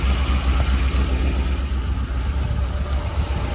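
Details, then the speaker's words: 2008 Ford 5.4 3V with catalytic converters at idle: loud uneven chugging, puffing pulse about four per second from a big exhaust leak at the flange ahead of the converter, throwing off O2 sensor readings; gasket replacement planned. "and what you have when you have a big exhaust leak in front of a cap is the uh O2 sensors don't read correctly you're getting a reading you're going to see the motor chugging a little bit"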